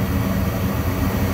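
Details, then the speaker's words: Gas furnace after cleaning a dirty flame sensor (before, the flame lit then went out after seconds); the burner now holds a steady, even low roar with no sputter or dropout. Normal burner operation. "the furnace is going to warm up for 30 seconds to a minute or so and then the blower motor is going to come on and you can see now the fire is staying on so the furnace is sensing that the fire is running now whereas it wasn't before"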